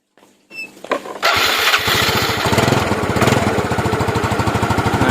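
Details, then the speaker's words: Yamaha Mio motorcycle used as a test bike for CDI units, after a Jupiter Z lost ignition: engine cranks briefly, catches and settles to a steady, even putter, showing the CDI works; the fault was traced to the pulser. "cabut mati motornya ini t CDI 33nya hidup ya untuk CDI berarti gak ada masalah ya teman-teman"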